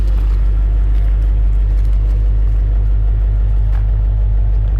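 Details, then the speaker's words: 1956 Chevrolet Bel Air Nomad resto-mod with fuel-injected 350 V8, 700R4 and Dynomax mufflers, slightly warmed, oil pressure about 40, 14 volts: low, even exhaust burble of about 1.5 pulses per second. Quiet, no ticks or misses, healthy idle. "very nice. Dynamax mufflers, quiet."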